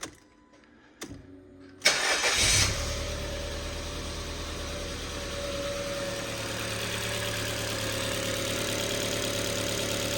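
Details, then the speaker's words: 2011 Ford Fiesta Titanium automatic, Cat N, first start after head gasket replacement, codes cleared and fuel rail primed: brief crank catches cleanly into a smooth, even idle with no knocks or misses; runs healthy. "wow that already sounds so much better that's exactly how they should sound so yeah it runs it's alive so that's good news"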